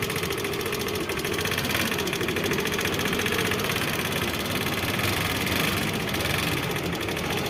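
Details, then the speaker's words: Hero Pleasure scooter engine with loud ticking from inside: fast, even ticking keeping pace with engine speed; tappet clearance suspected, tappets and timing chain to be checked. "देखा, इस गाड़ी के engine के अंदर से बहुत ही ज़्यादा आवाज़ आ रही है। तो सबसे पहले इसके टेपिट को चेक करेंगे और टाइमिंग चेन को चेक करेंगे।"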